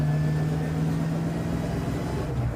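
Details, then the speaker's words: 1982 Ford Mustang GT rear axle after a bent axle was replaced: steady low howl over road noise at constant speed; vibration reduced but gears still loud, sounding overtightened, though they felt loose; gear whine suspected, not confirmed. "Gears are still loud. Really weird. These gears sound like they're way overtightened, like they're self clearancing."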